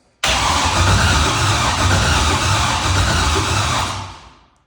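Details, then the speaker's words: Pontiac Trans Am with a rebuilt engine just installed and Holley fuel system not yet powered: starter cranks the engine at an even, steady pace with no grinding, not firing yet. Normal cranking. "yeah sounds okay."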